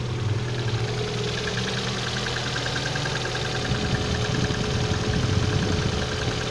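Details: Engine knock at idle: steady idle with faint, uneven tapping over low rumble; source unclear.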